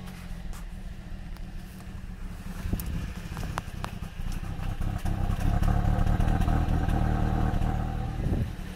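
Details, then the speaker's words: 2005 Pontiac Vibe, started without key after replacing blown fuses including AM2: rough, lumpy idle with an irregular stumble every couple of beats; misfire suspected, spark plugs to be checked. "the car starts up it's a rough idle but at least it starts i'll show you guys so the car starts but it definitely sounds like there's a"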